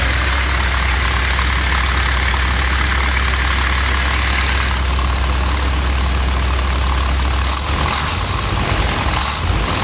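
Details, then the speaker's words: 1973 Chevy C60 fuel truck, 366 gas V8 with Holley EFI, cold weather, block heater, suspected fouled plugs: after leaning out the choke setting, low even V8 rumble holds a steady idle with no missing; smooth idle. "I leaned out the choke setting here a little bit and it seems to be a lot happier. You can hear it's not really missing anymore, and yeah, it just sounds a lot smoother, a lot happier."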